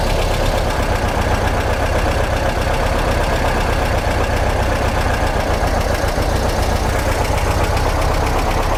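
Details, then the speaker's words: 1955 Porsche 356 Pre-A Speedster flat-four at operating temperature after carburetor balancing: steady, even idle a touch high, set where the generator light turns off, no misses or knocks; carbs sound balanced, normal idle. "yep that looks pretty good our Idol is a tad high but it's right bout the point in which the generator light is turning off at idle so that's about as low as I think I want to go"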